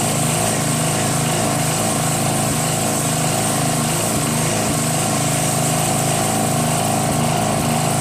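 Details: Northern Hydraulics pressure washer, Briggs 3.5 hp engine with vacuum fuel reservoir, no primer, unused 8 years; after starter fluid start and unclogging rusted wand tip, single-cylinder engine chugs steadily over pump drone; runs normally, pressure weak, gun or pump suspected.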